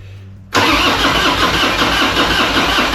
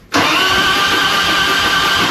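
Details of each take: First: 2001 Harley-Davidson FXDX Dyna Twin Cam, 26k miles, after upgrading the cam chest from the old spring camchain tensioners. Cranked for about five seconds with an even whirring churn and never fires, because the HT plug leads were left off for safety. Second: 2001 Harley FXDX Twin Cam (26k) after upgrading the cam chest from the spring camchain tensioners, cranked to prime oil before plugs go back in: steady fast even starter whirring with no firing; oil pressure light went out.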